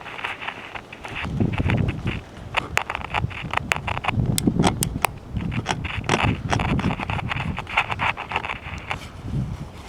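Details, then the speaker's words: Cheap pocket AM transistor radio with a good battery that worked months ago; turning it on gives a pop and scratchy crackles from the volume control, no station or hiss. Scratchy volume control, no reception. "you can hear there's basically no activity uh except for the volume you can hear a little bit of scratchy from the volume control and a pop when you turn it on"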